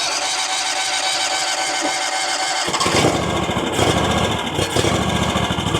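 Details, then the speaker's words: RedMax zero-turn mower, Kawasaki twin, after replacing intake gaskets: starts after a couple of seconds, then idles unevenly, speed hunting with occasional pops; surging and backfiring, runs fine on choke, carburetor tuning suspected. "So you see how it's surging now and kind of backfiring. If I pull this, if I give it the choke, it idles up and runs fine."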